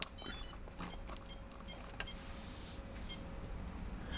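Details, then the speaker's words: RC crawler being powered up for troubleshooting after a mistake: short high beeps repeat every second or so; the ESC won't lock in or arm to the radio, winches work, owner suspects a blown ESC. "not gonna lock in it's just gonna keep chiming so bear with me"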